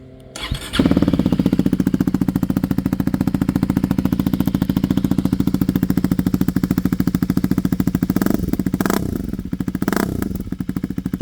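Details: 2024 Husqvarna Svartpilen 401 with Arrow Pro Race exhaust for the Duke 125, rear cat and dB killer removed: starts, then deep even single-cylinder thump at about three beats a second settling into steady idle; normal idle, louder open exhaust.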